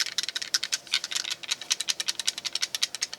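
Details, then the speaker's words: Empty Ruger BX-25 magazine for 10/22 rifle being shaken: quick, uneven light clicks and rattles from a loose, sloppy follower inside, which causes occasional jams. "that rattles inside of there what we're going to do is kind of fix that up to make it tighter so that the follower will not Jam up"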